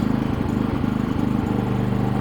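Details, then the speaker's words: Harbor Freight 3500W inverter generator, Eco throttle off, under about 30% load from a space heater on low: steady, even drone with a firm low beat and no misses, hunting or surging. Runs smoothly. "now I'm gonna put a 30% load on it because I'm going to turn the space heater on low and listen to how smoothly"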